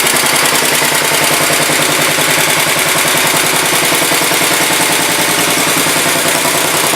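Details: 1967 Sears Suburban 10 tractor idling on its first start after repairs: steady even putter of about three and a half pulses a second, with no knocks or misses; low battery voltage is later traced to how it is used.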